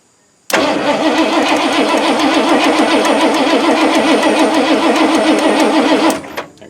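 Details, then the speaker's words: 1986 Ford F-150 cranking on a weak borrowed Toyota battery: steady sluggish starter churn about 3.5 beats per second, never catching; complaint is no spark (no fire). "battery's getting kind of weak this is actually out of the toyota i use it to pull something up with the uh well with my winch my fact i think i pulled this up so i may have to go get a different battery"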